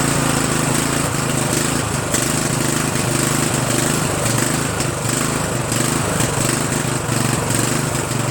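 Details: Murray 14.5 42" Widebody LT lawn tractor single-cylinder engine after muffler refit, carburetor adjustment and choke linkage cleaning: steady even drone, no rattles or surging; normal running.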